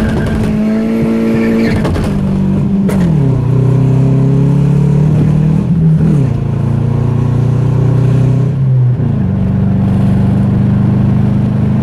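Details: Mazda 3 engine after blowing during a clutch dump, now running rough with a loud wavering drone that dips and surges unevenly, said to sound like a Subaru; internal damage suspected.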